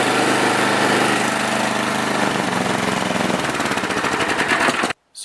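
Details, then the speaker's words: Snowblower with a small single-cylinder engine after replacing a broken 1/4 x 2-inch bolt on the drive sprocket under the belly pan. It settles into a steady, even beat with light sprocket and chain clatter, and the drive now works. "and now when I even move the blower it does sound different because you can hear the sprocket and the chains turning when the bolt was broken the sprocket wouldn't turn and I'll start it up and just show you that the drive actually works"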